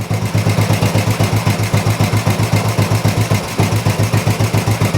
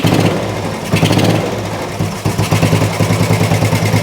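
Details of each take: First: Old Royal Enfield 350 single after long storage and carb work, not yet fully warmed up: even thump about four beats a second, steady with no misses; sounds really sweet, normal healthy idle, not much wrong. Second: Old Royal Enfield 350 single, first start after long storage: uneven low idle thump with occasional stumbles, cold and choked-sounding, smoking; exhaust may be choking it (unconfirmed). Rough idle after long lay-up, though best start ever after standing.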